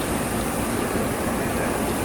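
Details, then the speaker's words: Old Payne 510 split-system heat pump outdoor unit, 1980s or late 1970s, badly corroded coil but still holding refrigerant, compressor in a box section behind a metal divider: only a steady airy fan whoosh, no compressor hum, rattle or grind; running quietly and normally. "you know what all you can hear running on this one as a fan says this style has a compressor of metal divider right here compressors in that box section"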